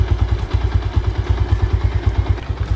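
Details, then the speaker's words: Yamaha SZ single-cylinder revving after air-injection system (EIS) disabled on intake and exhaust to fix backfire: crisp even exhaust pulses about seven a second, no pops or backfire; running clean. "kahit tinanggal natin walang [Musika] problema so wala ng backfire"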